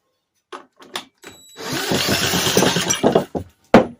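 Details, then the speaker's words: Vintage 1950s-60s Briggs & Stratton, sat 10+ years, drill-cranked after carb cleaner down the intake: a few sharp pops then a short ragged sputter dying within seconds; owner suspects bad old gas. "Oh, it popped. Oh, it scared me though."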